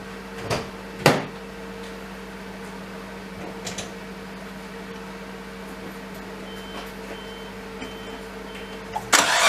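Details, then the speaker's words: R32 Skyline RB25DE engine just after fitting new NP Boosted/Napol ignition coils and harness, fitted for low power under boost: on first start it cranks, catches with a couple of uneven stumbles, then settles to an even idle; brief cold-start misfire, cause unknown. "Seems smooth, but there was a bit of a little miss at the beginning, so I don't know what that was all about."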